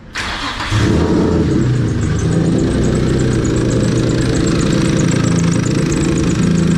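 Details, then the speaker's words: Turbo VQ35 swapped Nissan S13 restarted after tightening AN fittings: catches and settles into a fast idle with steady light clicking and knocking; owner suspects a loose belt tensioner. "There's a bunch of clicking, knocking coming from here. It sounds like the tensioner."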